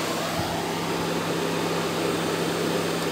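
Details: 2013 Dodge Forza radiator cooling fan on high speed, after the open low-speed resistor was replaced: steady, even rush of air with a low hum and no rattles or wobble, running normally.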